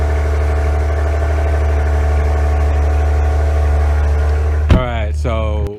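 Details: 2016 Maserati Ghibli S after a cold start: deep, steady, even idle with a firm low rumble and no knocks or misses, a healthy engine settling.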